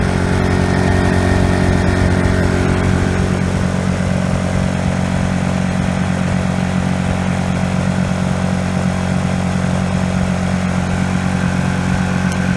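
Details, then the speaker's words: Honda EU1000i generator running rich, smoking, loaded with a 60 W bulb: steady but uneven drone with a rhythmic wobble, fine at low speed but stuttering at intermediate speed and worse under load; carburetor issue, later replaced with a new carburetor. "once you get kind of an intermediate speed it starts to stutter and if you put a load on it it stutters even more"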